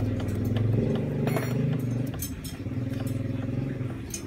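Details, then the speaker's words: Honda Revo Fit motorcycle engine with droning, humming whine and light knocking; secondary gearbox shaft has severe play so primary and secondary gears mesh unevenly; suspected worn shaft or cracked bearing, possibly from running out of oil, unconfirmed. "Nah ini teman-teman bisa melihat oblaknya begitu parah sehingga tidak balance pada waktu pertemuan gigi primer dan sekunder akhirnya alhasil menimbulkan ketukan dan bunyi ngiung ngung ngung ngungung seperti itu ya"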